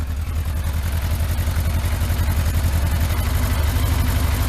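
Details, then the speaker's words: Yamaha Thunderace, started after long storage with no coolant in it, run briefly before a water-leak check: a low, steady idle with an even pulse and no knocks; it sounds smooth. "But it sounds quite smooth, that, doesn't it? Considering."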